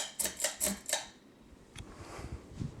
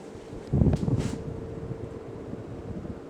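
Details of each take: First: 52-inch Emerson Premium ceiling fan with K55 motor switched to high: switch clicks then a smooth, even whoosh of air, with a faint whistle; normal high-speed running. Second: 52-inch Emerson Premium ceiling fan, K55 motor, on high speed: rush of air with a faint steady whistle, hardly audible, cause unclear; whistle at high speed.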